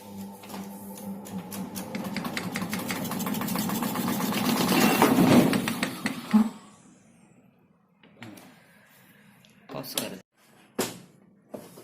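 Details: LG 6.0 kg washing machine in spin mode: the drum hums and rattles with fast knocking, about four a second, before it stops.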